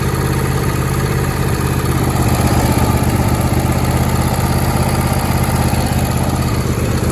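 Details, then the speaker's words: John Deere D160 mower, unused for 2 years, with new plugs, air and fuel filters and battery; it wouldn't start until the carburetor was cleaned. Now a steady, even low thump with no misses or knocks; runs great. "clean the carburetor now it starts and runs great"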